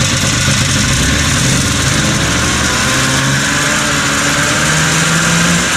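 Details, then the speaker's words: 1980 Yamaha Enticer 300 two-stroke race snowmobile; it previously ran only on choke and bogged. Revs are uneven, with wandering pitch and a smoky burble. It runs poorly and is loaded up with fuel. Suspected fuel pump or poor carb setup. "Alrighty, boys, so we got it running. Running pretty poorly. This carb setup is not so good."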